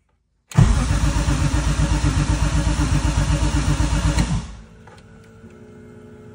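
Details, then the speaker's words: BMW E30 M3 with swapped S54 engine cranking: fuel pump running but injectors not firing; steady cranking at about four compression pulses a second for four seconds, never catching. "nope nothing the fuel pump is kicking on so I know the fuel pump is working and I know it's getting fuel it's just that the injectors are not turning on"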